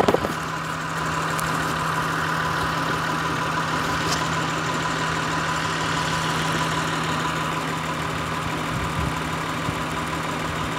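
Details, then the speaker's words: 2003 Acura TL Type S 3.2L V6 at idle with P0300, P0301, P0302, P0304 codes; during cylinder RPM drop test, unplugging cylinder 1 coil brings no RPM drop. Low steady drone, slightly uneven beat; cylinder 1 dead. "so it seems that number one is the one that's actually being affected by either a four fact that's fa"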